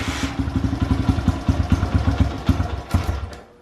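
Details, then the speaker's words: Honda XR100 with carburetor cleaned and retuned over hours, cold kick start: single cylinder putters unevenly about three seconds then dies; starts readily when warm but not cold; hard cold starting. "here it starts right up when it's warm but as you guys saw earlier it just does not want to start when it's cold"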